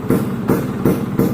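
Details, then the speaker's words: Vespa PX two-stroke with PE 28 carb, Shogun Kebo CDI, aftermarket coil, skimmed head and mild porting, first start after engine rebuild (new crank bearings and seals): even, steady idle with a regular beat, no knocks or rattles; normal idle. "ya gitu ya jadi ini ee suaranya nikmat banget kemarin servis turun mesin dan lain-lain tu enggak habis banyak ya"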